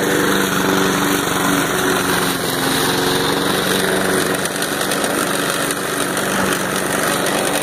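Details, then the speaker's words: Lawn mower after a homemade carburetor fix with a reshaped venturi and butterfly plug: small engine holds a steady fast buzz just above idle, no surging or dropouts; normal running. "it's holding up pretty good it's staying right at the city a little bit higher than idle"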